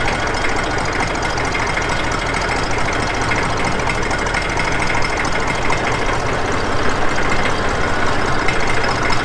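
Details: Massey Ferguson 35X tractor cold start: low, even diesel clatter settling into a steady idle with no misses or heavy knocks; healthy cold old diesel.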